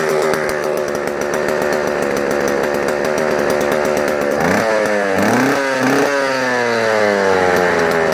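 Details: Vintage JoBu L6 chainsaw on its last run before the fluids are drained and it goes to a new owner: a crisp two-stroke idle, blipped up and back down cleanly several times; it runs even, responsive and healthy.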